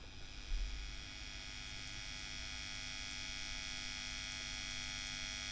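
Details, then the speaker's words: WEM Musette Mk 2 valve amp on the bench before servicing, with inputs grounded and tubes already swapped. A steady low buzz with bright hiss and no crackle is mains hum that is not coming from the inputs or tubes, source still untraced. "it's just a very noisy noisy amp so it's not coming from the inputs"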